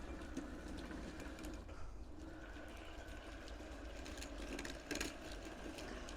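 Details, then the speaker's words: 1/6 scale Armortek Hetzer Jagdpanzer 38 tank, 24 V, first track road test: quiet steady motor whirr with light chatter and sharp clicks; track slightly binding on drive sprocket, owner thinks a link must come out. "now I can see this track slightly binding with the sprocket"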